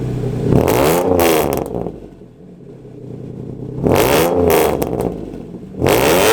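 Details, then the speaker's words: Hyundai Genesis after installing headers and an H-pipe: repeated revs to redline swell into a buzzy, raspy edge, less raspy at 3,000–4,000 rpm, settling at idle; exhaust rasp reduced but still present. "but if you rev it all the way to the red line you can still hear the rasp but not as much you guys will see what i'm talking about"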